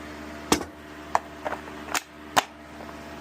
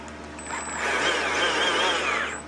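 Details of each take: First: Stihl MSA-series battery chainsaw (MSA60/70/120/140) reassembled after cleaning for a not-oiling fault, with the worm gear, sprocket and C-clip refitted. Spin test gives a whirring, uneven chain whine that the owner suspects is set a little too high; the cause is unconfirmed. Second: Stihl MSA-series battery chainsaw (MSA60/70/120/140) after cleaning and reassembly for a not-oiling fault, with the worm drive set in the middle. A smooth whine spins up, holds and winds down with no grinding or chatter; it sounds normal.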